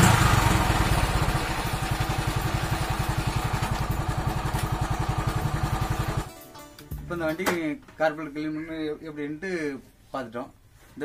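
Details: TVS XL100 small single-cylinder engine after carburetor cleaning, puttering at a steady, fairly even beat for about six seconds before music takes over; runs cleanly, normal running.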